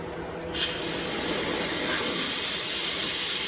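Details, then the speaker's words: Mercury 7.5 two-stroke outboard after re-ring, crankcase pressure test with compressor air: sudden steady high hiss, nothing mechanical, air escaping from the middle of the crankshaft area; crankcase leak, later plugged with inner tube and hose clamp. "it's coming out of the middle of the crankshaft H guess I got to figure out how to plug that"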